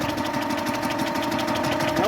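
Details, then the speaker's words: Onan generator, unrun since about 1983-84, cranked with some two-stroke oil put down the cylinder: the starter turns it evenly with fast regular chuffing and no firing; a valve is most likely hanging up. "no attempt so that means we got a valve hanging up more than likely"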